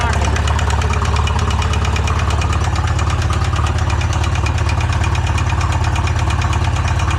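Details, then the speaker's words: Polaris RZR engine, freshly built, previously locked up and freed, oil drained and filled with Lucas oil: rough idle with hard regular metallic knocking two to three a second, still has oil pressure; owner suspects rod bearings seized to crank; engine later stops. "Oh, it's idling. Doesn't sound good."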